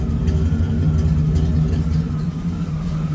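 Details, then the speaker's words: Suburban/Silverado truck engine at idle after restart, idle dipping almost to stalling then hunting up and down: steady low rumble with a light, slightly uneven metallic ping about four times a second; cause unknown. "It's almost dice and then it starts running better and we have this sort of pinging or whatever."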